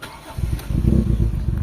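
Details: Toyota Corolla GLI with 4A-FE engine, low power and stalling, jerks when shifting into gear: uneven stumbling low thumps as the engine shakes, a lean misfire from a clogged fuel pump filter.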